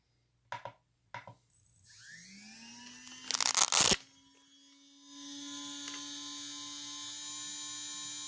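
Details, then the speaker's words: Custom 2150 kV RC brushless motor about two to three runs after a bearing replacement: clean, steady whine without popping, much quieter; the popping in worn motors is grit and dust inside the bearings. "can you notice the difference already way more quieter you're not hearing the popping that popping noise is actually grit and dust inside the bearings"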